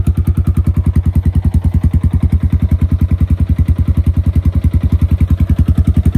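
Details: 2017 Honda Foreman Rubicon 500 IRS 4x4 single-cylinder ATV after a top-end rebuild with OEM rings and valve adjustment, following submersion; crisp, even thumping firing about 3.5 times a second at steady idle; normal idle.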